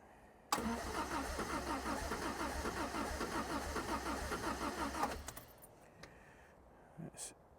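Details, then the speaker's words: 1975 MG Midget 1500 with starting problem, carburettor jets adjusted back down after suspected over-fuelling, coming off choke: about four seconds of cranking with uneven coughing and spluttering that never catches; fails to start, cause unconfirmed, sticking needles suspected. "so I just knock that back again a little bit and now it's doing the same as it did before it just coughs and splutters and wouldn't start"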